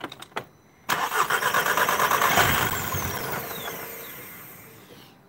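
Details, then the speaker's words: Audi TT 2.0 TFSI CESA, parked over a year, codes P0016, P0506, P0108, P0444: engine catches with a brief flare, revs sag and it stalls within about four seconds, unable to idle; PCV valve and intake manifold gasket air leaks were already repaired. "hopefully you can hear it don't know whether you got that but it will not wait will no idle"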